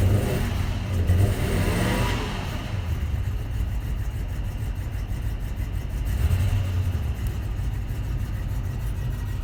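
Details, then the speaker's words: 2004 Toyota Tundra V8 after fan bearing replacement and timing belt change: smooth, even idle with a couple of light revs that rise and settle cleanly, no ticking, knocking or bearing rumble; better than before. "that sounds better right before it was totally it was louder and cleaner quickly class so it's just a little shakily wakely"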